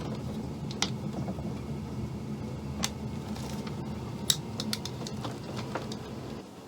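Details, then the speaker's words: Chinese diesel heater on a 40-year-old sailboat, after being switched off following its first test: a low steady fan hum with faint clicks, no rattle, as the blower burns off excess fuel. Normal shutdown run-on. "i can hear the blower going it's kind of burning off excess fuel in there right so i'm going to wait for the fan to power down and i'll call that a successful test"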